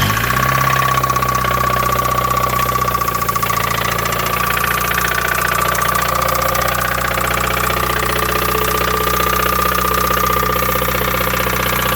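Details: 1993 Mazda Miata 1.6L, cold start: rough idle with a rapid knocking tap over the engine note and a steady whine; earlier it ran 30–60 seconds and died on its own; engine knock, cause unknown.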